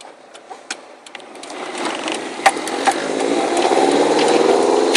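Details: Car driven under load with steady knocking a bit over two per second over drive noise; rod knock that developed over the weekend, replacement drivetrain already ordered.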